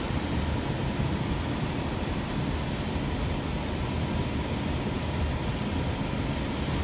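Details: Rheem 90% gas furnace with code 57, running with the high pressure switch bypassed: an even rush and low rumble holding flame with no cutout until the end; inducer pressure is above the switch's 0.55 rating, so the switch is faulty.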